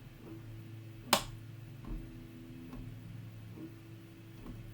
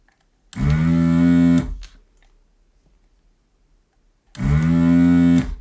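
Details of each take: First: New desoldering station dead on arrival, LCD blank: faint regular tick slightly faster than once a second over a quiet hum from the power supply at switch-on, apparently repeatedly failing to start; unit to be returned. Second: New desoldering station, second power-up after appearing dead, heating toward 350: two short, even buzzing bursts of about a second each as the vacuum pump kicks in cleanly; normal operation.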